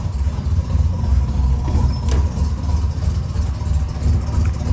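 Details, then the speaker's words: 1987 Buick Grand National turbo, 32,000 miles, abandoned 12–13 years, stock fuel pressure regulator refitted, computer connected: low, lumpy, stumbling loping idle, running rich on too much fuel; back to square one. "I don't know, I gotta gig it. Too much fuel, y'all. Well, back to square one."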